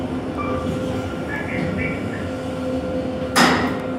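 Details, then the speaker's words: KONE EcoSpace MRL traction elevator, installed 2015, 3,500 lb capacity, 8 floors, recorded riding in the car: steady drive hum with a nice-sounding motor, then a sudden harsh rushing scrape near the end; shaft noise of unknown cause. "The motor sounds nice. The shaft noises do not."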